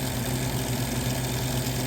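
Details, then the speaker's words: 1978 Gibson Air Sweep 5900 BTU window air conditioner with Tecumseh/Duma AE reciprocating compressor, started on low cool: steady hum with a faint rhythmic rub as the condenser fan catches its shroud and the unit shakes; the fan needs balancing. "let's hear that beautiful sounding Tuma AE reciprocating [Music] compressor the condenser fan is rubbing against the shroud"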